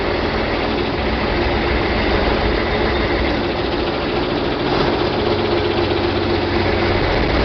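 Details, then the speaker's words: John Deere 4020 diesel tractor at about 1,000 rpm idle in park after clutch replacement and split reassembly, a little smoky: uneven, lumpy chop under steady rumble while air is worked out of the hydraulics; "still real choppy", rough running. "Still real choppy, isn't it?"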